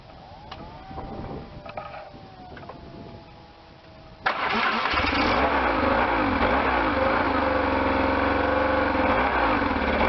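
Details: Restored 1998 BMW R1100RT boxer twin, first start-up after restoration, throttle bodies not yet tuned: starter whirs briefly, then the engine catches cleanly and settles into an even, steady idle with a regular low pulse; healthy start.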